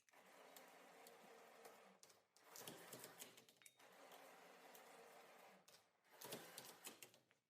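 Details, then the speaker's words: Linear slide test bench for robot, DC gear motor lifting 1.5 kg load, about 2.38 s average lift; whirring motor in repeated roughly two-second lifts, sounding strained and slowing, clearly working hard under heavy load. "Pretty big slowdown on that one. 2.38 is our average. Let's go up to 2 kilograms. You could really hear the motor starting to work on that one."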